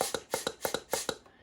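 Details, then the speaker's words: Minelab Equinox 800 metal detector, blowing into the battery compartment: sharp paired crackling pops, about four pairs a second, from the thin speaker membrane flexing; owner suspects the speaker is where water leaks in. "That is the speaker that's actually making that noise, popping in and out. So it's on a super thin membrane that's separating the pressure of the water from the inside of this unit. I really think that's where it's leaking."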